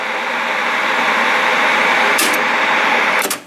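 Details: 1979 Sanyo Betacord VT 9100A (ATC 9100A) Betamax VCR with piano-key controls, before the rewind repair: a smooth, even whir of tape in fast forward, with no dragging, squeal or grinding, ending in a couple of clicks. Fast forward runs normally.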